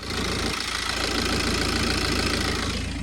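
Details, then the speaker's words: 2017 BMW F31 318d diesel at idle with a harsh, uneven clatter over a steady tick, knocky and rough; owner suspects the injectors but is unsure, and the dealer said the car sounded healthy. "Then there's the engine knocking, which I think it could be the ejectors. It would make sense to be the ejectors, but I also don't know. Yeah. Also, the knocking sound."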